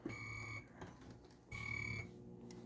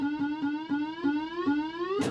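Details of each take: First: Bally Frontier pinball machine after swapping in new boards and setting dip switches: repeated cricket chirps about every 1.5 seconds come cleanly through the speaker at ball drain. The cricket sound effect works. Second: Bally Frontier pinball machine after swapping in new boards: steady buzz near 270 Hz creeping upward, with faint ticks about five per second. Something is locking on and still buzzing; the cause is unknown.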